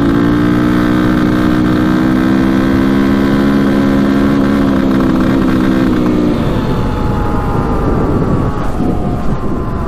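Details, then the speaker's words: Probably 2002 KTM 400 EXC single-cylinder dirt bike, road ride toward 60 mph: steady pull turning ragged and stumbling, getting worse; running poorly under load, cause unknown. "yeah definitely not running right here so [Music] yeah that was a bad ride"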